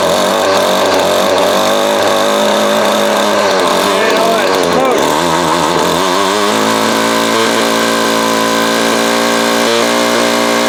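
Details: Vintage Craftsman 22.2cc 14-inch two-stroke string trimmer, estimated early-to-mid 1980s, original spark plug and fuel filter, fuel line replaced and carb cleaned; high buzz, revs waver briefly then settle into even run; normal healthy running.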